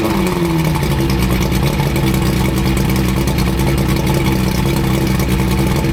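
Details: 85 hp Evinrude outboard on a water hose after new head gaskets, new spark plugs and tightened hose clamps, after earlier overheating: steady, even idle with a smooth low hum and no misses, knocks or surging; normal running.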